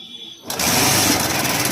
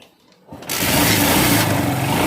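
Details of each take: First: TVS Star Sport motorcycle engine running with a busy, fast ticking rattle from the top end; attributed to the cam chain tensioner letting the chain slap; cam chain tensioner noise. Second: TVS Star Sport small single-cylinder bike after tensioner work on a reported engine noise problem: starts and settles into a steady, even beat with no tapping or rattle from the tensioner area; normal running.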